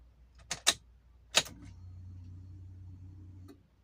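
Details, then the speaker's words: Toyota Avanza, key turned to ON before starting, morning warm-up: key clicks then steady low hum for about two seconds that stops on its own; normal fuel pump priming, wait for it before cranking. "nanti setiap kita ke kontak one itu akan terdengar bunyi denging itu adalah bunyi dari fulpam atau pompa bahan bakar ya temen-temen"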